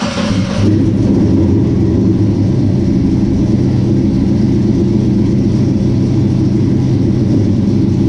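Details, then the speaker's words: 1967 Chevy C10 with Holley Sniper fuel injection, started after sitting about 23 to 25 hours; brief crank, catches at once, deep even steady rumble without misses or knocks, healthy cold start and idle. "Everything's the way it should be, the way we want it to be. All that AC works good. Motor runs good. Everything is good."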